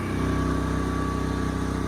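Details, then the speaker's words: Genmax GM10500iETC tri-fuel inverter generator on propane at full speed, max 3600 rpm: even, steady drone of constant pitch with no misses or knocks. Normal, smooth running. "Honestly, it sounds good to me, so what do you guys think?"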